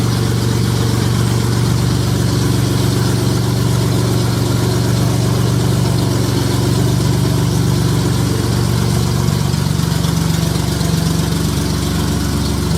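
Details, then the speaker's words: J35 engine (about 183,000 miles) swapped into a Subaru Baja, warm idle on a cool fall day; smooth, even idle under a steady fan whoosh, no ticks or knocks. Oil pressure about 60 psi, coolant near 150, compression modest, radiator struggling. "now that i've run it it sounds good there's no knocks there's no like extreme valve train noise it's got good oil pressure"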